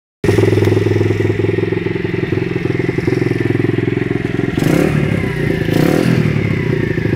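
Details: Fast, uneven clatter riding on the exhaust beat at about three per second from a WPB125 pit bike engine while running; source of the engine noise unclear.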